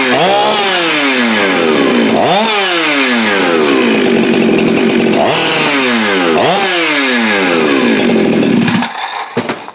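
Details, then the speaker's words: Husqvarna 372 chainsaw built from used parts (Madsen top end, decked, machined squish band; gutted muffler). The aftermarket throttle handle prevents full throttle. Revs rise and fall over repeated pulls but never reach a crisp full-throttle scream. Limited to part throttle. "you can't get the full throttle with a with the aftermarket handle so where I used to recommend these I no longer do until they are corrected dimensionally because right now they're not functional"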